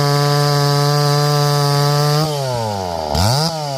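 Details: Stihl 024 AV WoodBoss, stock except a gutted modified 026 muffler, warmed up with the idle screw turned in slightly: revving gives a raspy, blubbery edge. The high jet is too rich and needs leaning.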